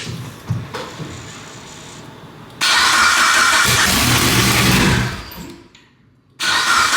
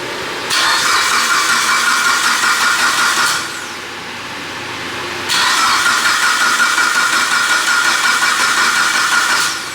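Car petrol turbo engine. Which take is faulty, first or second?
first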